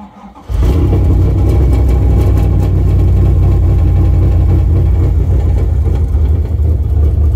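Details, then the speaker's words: Shelby V8 with new plug wires, boots and plugs; loud revs with uneven, stumbling beat and dropped pulses as it climbs, runs clean otherwise; number one plug looked rich, cause unconfirmed: misfire when revving. "it sounds like it's missing a cylinder when you rev it up though it runs clean"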